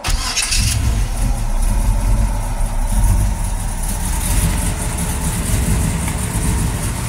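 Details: Small-block Chevy in chassis-swapped 4x4 after heads went to the machine shop for new Flow Tech valve springs to cure valve train noise, timing untouched: quick crank, catches at once, steady even idle with no top-end ticking or clatter; fixed.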